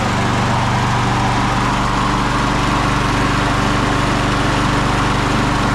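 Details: 1999 Craftsman push mower (mulcher), Briggs & Stratton 6.0 hp Quantum, primer start, 25 years old and barely used, first start in over 20 years: steady, even single-cylinder putter with no misses or surging and slight smoke while warming; running normally.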